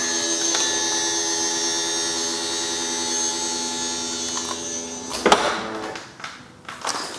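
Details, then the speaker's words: BMW 760Li V12 with a replacement boot lid pump fitted: steady electric motor hum at clean, even pitch for five seconds, then clunks as the lid settles; boot now opens properly; the original pump possibly wasn't supplying enough pressure or was pre-LCI on an LCI tailgate. "For the time being though, I am absolutely over the moon that we've fixed our issue. The boot now opens like it should."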